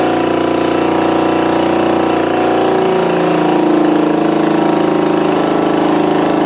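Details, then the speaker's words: Vintage motorcycle first start, points not yet cleaned, probably original coils, throttle apparently not working: uneven but continuous mid-pitched putter with slight speed swells; "that's a runner", sounds healthy. "Yeah, I don't think my throttle's working, but that's a runner. Sounds good."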